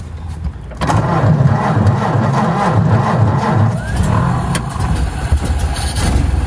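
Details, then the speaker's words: 1928 Ford Model A after carburetor rebuild, driving in second gear under throttle: the old four-cylinder catches and pulls steadily without spitting or stumbling, running much better than before. "that's pretty good that is a lot better than it was before"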